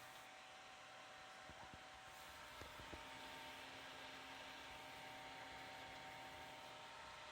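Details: PC right after power-on: steady airy whoosh with faint hum underneath, far louder than normal; a fan roaring, source unidentified.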